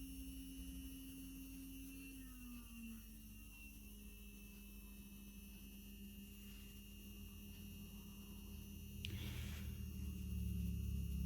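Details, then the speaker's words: A DC motor's speed is changed with a variable resistor (speed control dial): a steady motor whine shifts noticeably in pitch about two seconds in, then holds. "but you can you can tell by you just by listening that i've changed my rpms here okay i have increased"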